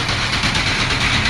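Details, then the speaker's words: Grain bin auger, 2 hp motor, 6-inch auger at 35 degrees, just started and running empty after bin remodel: even steady rushing whir, not loud, no knocks or grinding; normal empty running. "so let's go try it see what happens pull the lever well it spins we can hear it it's not too loud"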